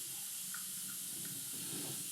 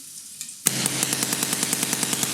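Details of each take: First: Planet Eclipse Ego LV1/1.x paintball marker pressurised from a bottle: a steady, high, airy hiss with no break. Air is leaking at the block (breech, bolt or solenoid suspected, regulator checked leak-free), later traced to worn solenoid manifold seals. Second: Planet Eclipse Ego LV1/1.x paintball marker at the final test after its solenoid manifold seals were replaced and a trigger electronics fault was fixed: two rapid strings of sharp, evenly spaced pops, about three a second, clean and crisp. It is firing normally.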